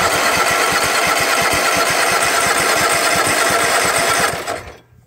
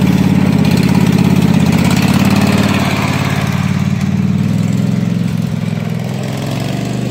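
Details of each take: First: Husqvarna mud mower, 18hp Kawasaki V-twin, after being fully submerged in a pond, carb cleaner used: steady fast cranking with a few weak catches, not picking up, cuts off after about four seconds. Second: Husqvarna mud mower, 18hp Kawasaki V-twin, after being submerged in a pond about 5 minutes, with water in the oil, float bowl drained and fresh gas with Sea Foam: fired right up and runs a steady, even low chug with no stumbles or surging.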